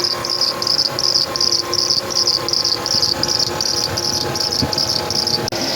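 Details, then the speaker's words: Chevy Tahoe with the battery light on and a drained battery, engine running: a loud, high chirp about once a second from the accessory drive. The tensioner, idler or alternator is suspected; the alternator is not charging (11.5 V) and there is a burning smell. "Something's making noise. I don't know if it's a tensioner, an idler pulley, or if it's the actual alternator. Something's wrong."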